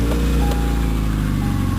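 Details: 2001 Subaru Outback engine starting after the failed knock sensor (P0325) was replaced and the code erased: it catches and settles into a steady, even, smooth low idle with no knocks or ticks. No check engine light; healthy.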